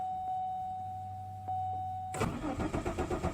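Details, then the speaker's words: Malibu sitting about a month, failed to start night before (owner suspects not enough fuel in fuel rail): after a pause starter spins engine about four beats a second with no firing; no start, cause unconfirmed, ignition mod planned. "Whoa, ain't that something? No go at all. Huh? I ain't got nothing at all now. Will not start at all."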